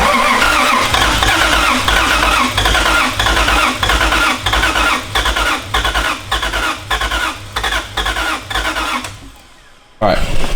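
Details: Toyota 1JZ VVT-i swap on first start attempt: steady, uneven starter chug at roughly 100 beats a minute that never catches or fires; cranks but will not start. Crew suspects ECU voltage drop and adds more ground; unconfirmed.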